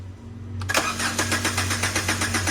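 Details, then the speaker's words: Car that broke down overnight and was towed in: starter whirs in a steady rapid rhythm, about twelve cranks a second, but the engine never catches; cranks without starting, so the mechanic next tries spraying carburetor cleaner. "Jadi ini mobilnya mogok ya. Dari malam diderek ke sini sama orangnya. Jadi starter nggak mau hidup."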